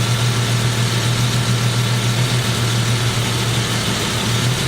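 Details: Jeep engine with stalling, crank sensor or ground suspected: rough, lumpy idle with an uneven low beat and dropped pulses as loose fuel injector connectors on cylinders 1 and 3 make those cylinders go dead when touched.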